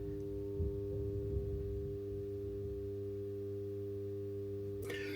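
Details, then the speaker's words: Contactor in a Sigenergy solar gateway (10kW inverter, 16kWh battery) installed in a garage; steady dull low hum of fixed pitch, audible from a distance, with brief handling rustle near the end; normal contactor hum, not a fault. "But for the minute, this is what we've got available, and all contactors hum. It is perfectly normal."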